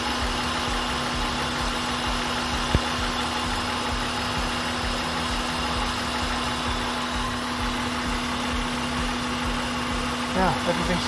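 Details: 2003 Honda Pilot with P0505 idle air control code, high idle and a VTM-4 light, idling warm at about 195° with the fan having cycled twice during IAC valve repair. Steady even hum with no hunting or surging.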